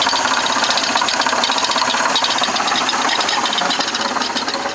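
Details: Chevrolet Impala started on a very cold day, idling: light metallic rattle about four per second from the front of the engine; owner first suspected a wobbling timing belt, but it turned out to be the water pump.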